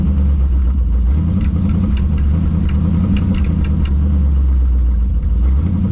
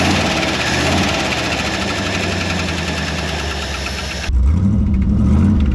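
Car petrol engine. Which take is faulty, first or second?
second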